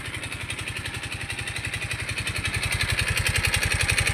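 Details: Mio i 125 scooter engine run dry of oil from lack of oil changes: hard, rapid knock growing louder as it revs, with loss of power; oil starvation.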